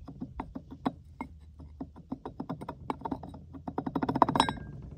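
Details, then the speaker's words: Failed solar pool pump (about 2 years 10 months old) spun by hand: uneven, gritty clicks and thunks; the bearing is bad, the seal failed and the parts are rusted. "well as you just saw this you can hear how horrible it is so that bearing was bad the seal failed"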